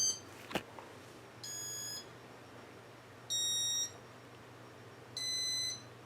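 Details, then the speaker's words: Casablanca Four Seasons ceiling fan with Intelli-touch control, board suspected faulty; three short high-pitched beeps about two seconds apart as speed buttons are pushed, but the fan doesn't spin up; speed control beeping, fan not running. "can probably hear me pushing the buttons but it ain't doing nothing yeah it just stops"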